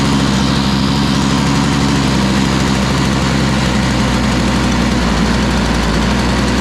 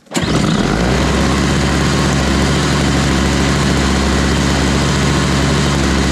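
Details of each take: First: Toro Powerlite single-stage snow blower, model 381182, 98cc two-stroke, first start before fitting a new primer bulb: loud, buzzy, slightly uneven running while cold. It seems to need warm-up time but isn't running too badly. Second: Toro Powerlite single-stage snow blower, 98cc two-stroke, model 381182, after fitting a new primer bulb, choked, at 51°F: catches almost instantly on the first pull, steady even two-stroke buzz with no misfires; starts and runs cleanly.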